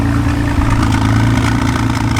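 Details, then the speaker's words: 1991 Honda NSX, junkyard car that sat outside for years, first start: runs steady but rough with an uneven rattling clatter over a low drone; owner suspects a big exhaust leak or misfire, check engine and TCS lights on. "I don't know if it has a big exhaust leak or maybe it's misfiring, but it kind of sounds like it's rattling kind of weird."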